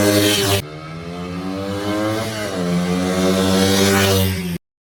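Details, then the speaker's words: Honda XR80 dirt bike unstarted for 10 years; stalled after second-kick start, then ran after carburetor cleaning and adjustment, oil change: idles evenly, revs up and drops back cleanly without stumbling; running properly. "surprisingly if we're not starting for 10 years i started a second kick but then it stalled but then we adjusted the carburetor and then started fine after that nice dirt bike"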